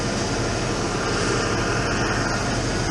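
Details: 1996 Ford F150 pickup with down-tuned Mercury 5.0L V8, warmed up, idling steadily well above its normal ~500–800 rpm with no hunting; intake sprayed for vacuum leaks, high idle traced to a faulty throttle position sensor, replaced.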